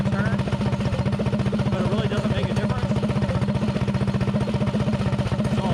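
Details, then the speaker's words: Predator 224-powered GTS mini bike with 24mm PWK carburetor, rejetted: even single-cylinder idle about four beats a second; idle turned down, air screw backed out until idle peaks, its most efficient point; runs cleanly. "now I turn the idle down as slow as I can get it soing nice and slow and I back the air screw out till the idle picks up so you can hear it picking up so it's pretty much iding the fastest right there"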